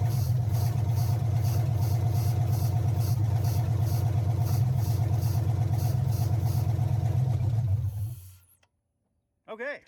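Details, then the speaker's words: 2005 Chevrolet Suburban LS donor, first start attempt, backfired earlier with pedal: even, rapid cranking for eight seconds without firing; owner says it isn't getting fuel. "we know what it is not getting fuel"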